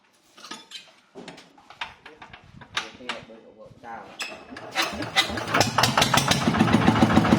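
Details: TF115 motorcycle engine bored to 150: after a few tries it starts and idles with a quick, even light ticking over the exhaust beat, from excessive valve clearance, before valve adjustment.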